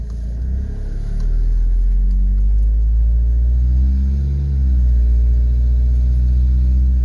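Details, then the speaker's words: 1995 Toyota HiAce van, 3.0 L non-turbo diesel, automatic, driving after timing belt and water pump service: loud, deep booming rumble swelling under load, far too throaty; exhaust leak from a hole in the muffler. "loud this one's got a muffler that has a hole in it maybe that's why it's got so much zip"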